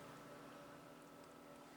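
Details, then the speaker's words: Hybrid inverter ATS controller in daytime solar mode: faint steady electrical hum, switch 1 turns on the inverter, then one sharp click as the ATS relay transfers the load to inverter; normal changeover. "Sekarang sudah siang, switch 1 on, kemudian relay ATS berpindah."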